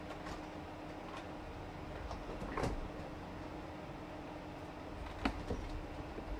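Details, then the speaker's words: Custom PC build: steady, even airy whoosh with a faint constant tone and no rattle or grinding; fans running smoothly, sounding much better. "all right that sounds a lot better"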